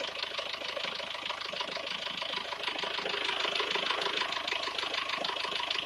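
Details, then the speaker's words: SsangYong Actyon engine at idle: steady idle with a fast, fairly even ticking near two per second on top; foreign noise in the engine, source unclear. "Посторонний звук в двигателе."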